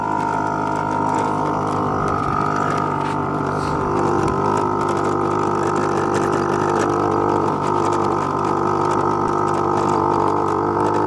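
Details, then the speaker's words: Honda Spree moped after exhaust clean-out and idle adjustment, riding about 15 mph: steady buzzing drone wavers unevenly instead of pulling clean; rough running, more carb adjustment needed. "15 miles an hour she's still having some issues we're definitely gonna have to do some more carb adjustment on this thing guys"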